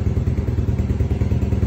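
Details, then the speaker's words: 1987 Suzuki LT4WD 250 single-cylinder quad, which arrived with the wrong carburetor and an engine full of gas, now has the correct carburetor fitted and set up. It holds a steady, even, low thumping idle with no misses. "we'll clean the air filter and put it back in and then we'll readjust everything well you can see the old girl idles pretty nice"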